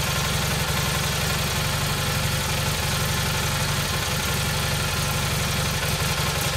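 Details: Rebuilt single-cylinder Kohler Magnum M18 from a Cub Cadet 1882, first start in two years on a test stand, targeting about 1400 rpm with about 48 psi oil pressure: steady thumping around 230 beats a minute, slightly lumpy and heavy; running rich, with sluggish carb needing adjustment.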